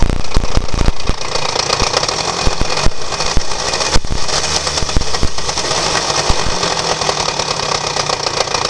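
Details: Honda Dio 27 small two-stroke scooter engine running with sharp, irregular knocks cutting through the buzz every fraction of a second; engine knock, cause unknown.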